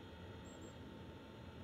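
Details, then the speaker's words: Planar/Autoterm 2D 12V diesel heater mounted at 90 degrees in a Microlite Cargolite mini camper underfloor box, soundproofed with Kilmat and foam-backed rubber; faint steady hum and soft airflow, fuel pump ticking no longer heard; normal running. "the kills mat the adhesive back stuff that the soundproof vehicles with that's fairly good for the exhaust and air noise like that doesn't seem quite as"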